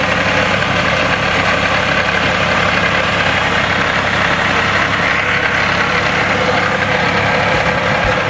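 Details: Loud, busy idle with a hard, rapid knock of about four per second. The owner suspects rod knock, but it is unconfirmed. Engine knock at idle.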